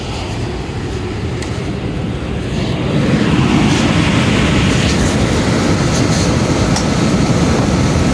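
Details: Cambridge direct-fired makeup air unit that had locked out on airflow due to a misadjusted actuator/damper: low steady roar swells after about three seconds then holds even, no sputter or cutout; burner lit and staying on with airflow restored.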